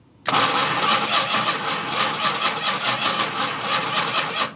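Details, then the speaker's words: 1971 Plymouth Road Runner with 383 and 727 transmission, off the road since 1989, during a first revival attempt. The new coil wire was not hooked up, so it cranks steadily for about four seconds without firing: no spark, no start. "nothing oh you know why cuz that's not hooked up"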